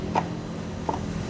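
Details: Honda Click V2 scooter idling with a low hum and sharp plastic clicks from a loose coolant reserve tank cover; common V1/V2/V3 issue, fixed by removing the cover and adding a bracket with pliers and Philips screws.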